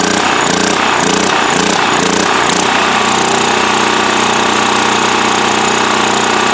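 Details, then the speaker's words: Westinghouse generator cranking after starting fluid: a loud steady crank with an airy hiss and pulsing chuffs about twice a second, air hissing out of the muffler, possibly from a plugged exhaust. "Interesting, I hear the sound of air hissing out of the muffler."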